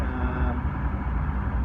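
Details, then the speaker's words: Lincoln 1006 conveyor oven after refurbishment, fan, heat and conveyor switched on, burners lit: a steady, even low roar from fan and burners with no rattles or surging; running normally. "That, when you hear that clicking sound, that's the ignition pad kicking in. Now it's burners on."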